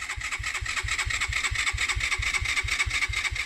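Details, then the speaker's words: Suzuki GN125 non-runner, unridden for over a year, with fresh fuel, a new battery and a clean fuel filter: steady cranking with no catch. The fuel tap was on reserve and it started once switched to ON. "Now, this is the part that I made the mistake on at this kind of stage, because the fuel tap there is on reserve, which should be fine in my opinion."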